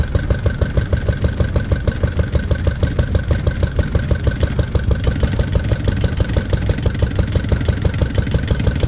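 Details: Lister D single-cylinder petrol engine, first start after 20+ years and restoration: thumping about three times a second, beats slightly uneven and hunting, no knock; jumpy running, owner suspects timing and carb settings.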